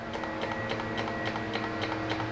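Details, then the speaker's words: Honda Ruckus at key-on, low fuel with tank tilted, after carb jet cleaning: quick even ticking about seven clicks a second over a faint hum; electric fuel pump priming normally. "pumps a bunch of times turn the key off turn it on let it pump a few times again and one more time pump some fuel in there"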